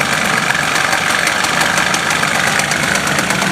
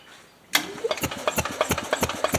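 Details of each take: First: 1977 Harley-Davidson golf cart with a 250 two-stroke engine, run after years of sitting: busy, buzzy, steady fast idle with no misfire or stumble and an even tone; the engine is running fine. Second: 1977 Harley-Davidson golf cart, 250 two-stroke, after years of sitting, key switch bypassed, spark confirmed; starter turns it over with an even chuff about nine beats a second but it never catches; cranks but does not start, points likely dirty.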